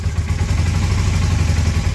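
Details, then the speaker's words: 1981 Honda CM400 twin, first start after sitting since 2000, on starting fluid with carbs refilling: uneven, lumpy low firing that picks up briefly with a little throttle, then falters and dies. Stumbling run then stall. "Oh, and it dies. Well, it's great to know that this bike actually will run."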